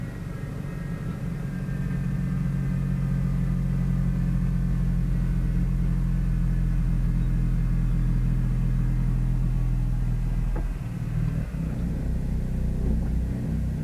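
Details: Dodge Caliber 2.4L after a small accident, with the transmission stuck in R and not showing P, started with a workaround. It holds a deep, steady idle rumble that stays even throughout with no misses or knocks; the engine idles smoothly.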